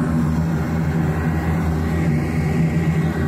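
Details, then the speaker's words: AAON rooftop HVAC unit gas burner with two electric spark igniters: a steady low roar with a lumpy, fluttering pulse once lit. The flame sounds unsettled, as if it needs more gas or more air; the cause is unclear. "of sounds like those flames need more gas or more air, one or the other."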